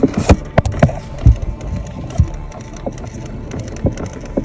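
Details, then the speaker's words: 2022 Chrysler Pacifica: irregular light thumps and rattles from behind the dashboard glovebox as the recirculation damper flaps loosely; a failed recirculation door actuator, fixed by replacing the actuator so the damper holds open or closed. "See, that's what's making that noise. [Music] Once I replace the actuator, now the damper that was flapping back and forth stays in open or closed position."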